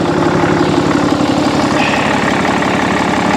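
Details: 6.7 Cummins turbo diesel truck at Copart, leaking oil everywhere, apparently EGR deleted, turbo described as screaming. Idle gives steady, even diesel clatter with a smooth, regular beat and no knocks or misses; healthy idle.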